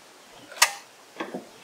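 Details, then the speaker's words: Ryobi RM480EX electric riding mower, dead lead-acid pack replaced by a new 51.2V LiTime LiFePO4 battery and new drive motor controller, switching on: one sharp click then a soft double tick, no motor noise; normal switch-on. "Oh my god, it's on. That's it. Just a click."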